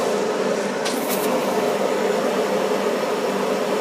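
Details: Furnace inducer fan before ignition, just after the flame sensor was cleaned with fine steel wool and reinstalled: a steady, even hum with constant pitch and no rattle or scraping, the inducer spinning normally while waiting to light.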